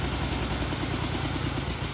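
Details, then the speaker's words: 1965 Honda CB77 Super Hawk first start after restoration, carbs not yet dialed in: uneven low idle sagging and loping then dying when throttle released; idle speed too low, target 800–1,000 rpm, needs idle adjustment. "And she'll die out. So it just needs a little idle adjustment."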